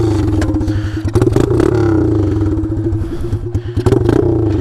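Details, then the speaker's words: Taotao DB17 125 pit bike with open straight-pipe exhaust, no muffler: loud raw single-cylinder popping that surges and sags unevenly, stumbling between blips; engine doesn't want to hold a steady idle. "bike doesn't really want to idle though with the open exhaust it does sound really cool though holy cow"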